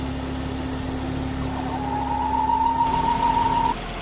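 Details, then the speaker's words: Ford Focus XR5 2.5 turbo (Volvo engine) with erratic idle, a lean fault code and the engine light on. A thin whistle at idle changes when the oil cap or dipstick is removed. Points to a failed PCV valve diaphragm in the oil filter housing leaking vacuum. "you can loosen off the oil cap if you start to hear an idle change and noise change you are pretty much guaranteed that it's going to be a PCV valves failure"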